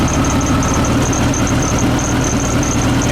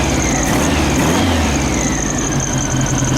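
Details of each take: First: 1972 VW Beetle with reinstalled Weber 34 ICT carbs, not yet balanced: steady fast idle that won't drop, throttle not returning to idle despite extra-taut springs; linkages suspected, moving them raises speed. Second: 1972 VW Beetle with reinstalled, rebuilt Weber 34 ICT carburetors, idle screws and vacuum balancing not yet adjusted: steady even beat with no misses or stumbles, running on all four cylinders.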